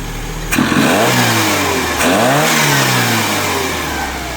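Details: GTI engine swapped into a 1974 VW Passat B1, just after ignition timing was set and with the throttle cable not yet connected: two clean revs rising and falling smoothly with no misfire, knock or rattle. The engine sounds healthy.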